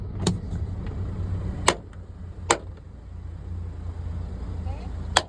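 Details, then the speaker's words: 2014 Toyota Camry driver's door: sharp pops, creaks and snaps as the door opens and closes over quiet idle, coming from the door check strap, loose mounting bolts letting it clunk. "definitely sounds like the door check strap so I said bring it on over let's take a look let's see if we can duplicate that noise yeah you can see it's really loud and it looks like it's coming from the door check strap here or the door check bar"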